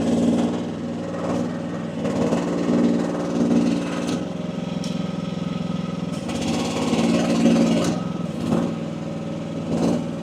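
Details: AGT WH12R 1-ton Chinese mini excavator digging with relief pressure at about 2300 PSI: small diesel pulls steadily with hydraulic groans as the boom works, holds speed without bogging; owner judges setting optimal.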